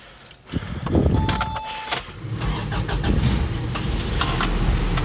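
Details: 1986 Toyota pickup with 1988 factory-A/C drivetrain swap: keys clink, short crank, catches quickly and settles to an even steady idle; normal start despite a flaky firewall relay.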